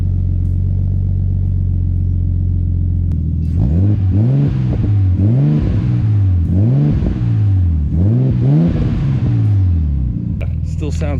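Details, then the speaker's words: Nissan Stagea, just finished and back together, warm start. Smooth steady idle, then four clean throttle blips rising and falling without stumbling; deep, throaty, healthy and responsive. "deep and throaty man i really like it up here so smooth everything's running so good so smooth"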